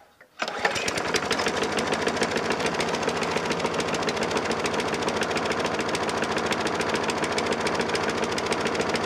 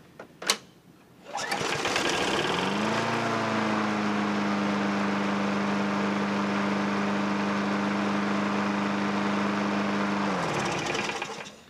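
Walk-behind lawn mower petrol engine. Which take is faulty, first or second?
first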